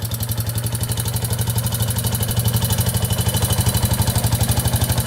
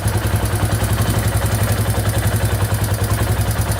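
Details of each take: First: 2001 Yamaha Warrior 350 single-cylinder quad running with a loud, steady top-end knock about four a second; owner first suspected timing chain, found excessive valve clearance causing valve tick. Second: 2001 Yamaha Warrior 350 single-cylinder quad idling after a loose exhaust valve was adjusted: even low thump, top-end tick gone, faint rattle still heard near the timing chain.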